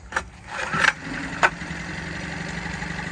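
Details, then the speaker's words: Dinghy outboard after repair (overfilled oil drained, carb gasket fixed): one cord pull, fires right away and settles into a steady, even idle. Normal start and idle. "Easy. Easy peasy. It's good. Yeah, I'll take a one pull start any day."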